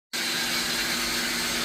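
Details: Pedrollo water pump, made in Italy, that is noisy, leaking water and often needs replacing; loud, steady hiss and harsh whooshing with almost no low rumble, noisier than it should be.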